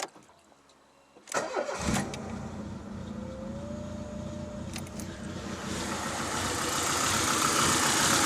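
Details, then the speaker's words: Citroën Saxo after cleaning spark plugs that were fouled, oily and fuel-covered: cranks briefly, catches and settles into an uneven stumbling idle with a recurring miss; the misfire remains. "Can't believe it. Still got it."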